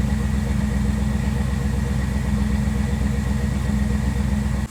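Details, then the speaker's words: 1957 Chevrolet Bel Air idling smoothly and evenly with no stumbles after a Seafoam top engine cleaner soak, possibly still burning off blue smoke; the earlier bad misfire that shook the car at a stoplight sounds gone. "All right, let's go take a look. Sounds like it's gone."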